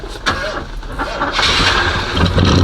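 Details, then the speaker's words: Oldsmobile Cutlass, battery at about 6.5 volts and on a charger: brief uneven cranking, then the engine catches and rises into a rough, building idle; hard cold start on a weak battery. "well at least y'all heard it rough a quick second"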